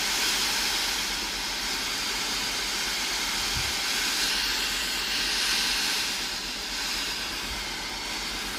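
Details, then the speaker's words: Philips AIS8540/80 steam iron after replacing the faulty water pump (it had no steam output though it powered on): steady, even steam hiss with no sputtering when the button is pressed; steaming normally after repair. "Testez le système de distribution d'eau en appuyant sur le bouton ; la vapeur doit sortir normalement."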